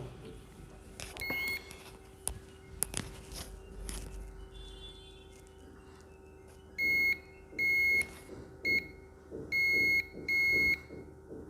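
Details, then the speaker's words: Continuity-mode meter beeps steadily each time the probes touch a line on a dead MediaTek phone's board: the line is still shorted to ground, now beeping on only one side after a capacitor was checked; diode-mode check next. "दो पहले इसके बगल में beep की आवाज़ आएगी। यह होना ही था। लेकिन अब केवल एक बगल से बीप की आवाज आ रही है।"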